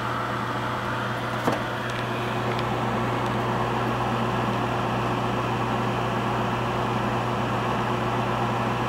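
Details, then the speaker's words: Gas furnace (emergency heat, with heat pump) started after blower motor service: a single click, then a steady low inducer hum with no rattle or bearing noise, before flame proving. Normal startup. "Listen for the click of the gas valve. There it goes. Now she's going to prove flame."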